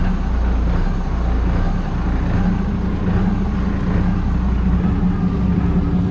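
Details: Sweet Bippie boat, port diesel engine on first test run after finishing work: deep idle rising and falling gently about once a second rather than holding flat; a mild lope or surge at idle. Cause suspected, not confirmed.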